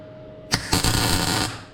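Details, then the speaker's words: MIG spot weld on a 1957 Oval Window VW Bug: brief pop, then under a second of steady, even crackling, solid penetrating buzz that stops cleanly; well-set normal welding arc. "And you hear that buzz? That's a nice, solid, penetrating buzz."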